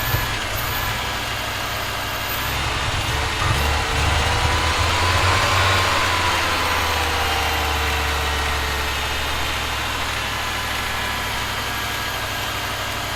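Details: Audi 2.2 Bosch K-Jetronic, new old-stock Bosch injectors, mixture weakened one turn, started via cold start valve: low drone with lumpy pulse about four per second, rough idle; owner plans removing metering unit to set sensor plate height.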